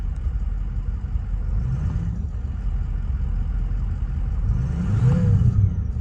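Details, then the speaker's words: 2005 Ford Excursion Limited 6.0L Powerstroke diesel, 2WD, 241,829 miles, never tuned, new turbo, 4-inch MBRP turbo-back exhaust, cold air intake: deep steady rumble recorded from inside the cab, then a smooth clean rev; a normal warm idle and rev. "Guys, this truck sounds phenomenal. Sounds so good. That 4-inch turbo back exhaust and that new turbo sounds really good."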